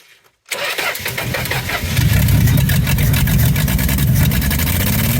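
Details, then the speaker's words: 1963 Plymouth Valiant slant six fires into an uneven, lumpy, stumbling idle, timing backed way off; running far too rich, billowing fuel smoke, likely fouling plugs, from clogged carburetor air bleeds. "It's every bit as bad as it ever was. Pretty sure it just fouled all the plugs immediately."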